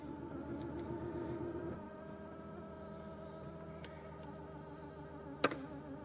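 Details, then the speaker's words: Lucid Gravity Dream Edition third-row motorized seat operated: droning, wavering motor whine under two seconds, then stops; strained power seat motor noise, motor seems overstressed, cause not confirmed. "I don't know if you guys could hear that or not, but it sounds like the motor inside of that is 100% overstressed."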